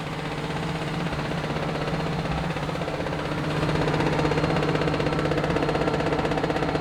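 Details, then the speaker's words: Cheap forgotten pickup truck being revived after a dead battery, slight lifter tap at startup: steady engine drone with an even, quick ticking about four per second; owner suspects the fuel pump, not confirmed. "that's got to be the fuel pump right has to be long as it works I'm happy"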